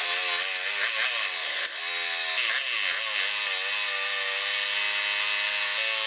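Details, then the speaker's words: Honda HRA214 mower, no-start, about 5 tablespoons of water drained from the carb bowl; once running it screams at high revs, pitch wavering then steady, throttle stuck on high with a loose cable and the choke not engaging. "So right there, that is on high throttle and it's loose. And we're not even engaging the choke yet."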